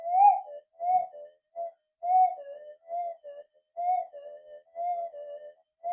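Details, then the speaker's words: Minelab SD/GP/GPX metal detector with a homemade 11-inch double-D coil, run flat out in cancel mode. Irregular warbling tone bursts about every two seconds on an unsteady threshold. The coil is not symmetrical or well balanced, so much noise still comes through. "I'm getting it about there, cancel mode, but a lot of noise still coming in because they're not the best coil."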